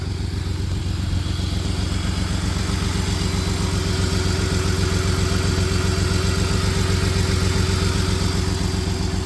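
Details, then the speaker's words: 1993 Dodge Caravan with Chrysler 3.0 V6 and blown head gasket, idling: steady low rumble broken by a regular stumble as a cylinder misses; not smoking badly, possibly no coolant left, and a motor mount is broken. "It's idling okay right now. Obviously missing, but it's idling."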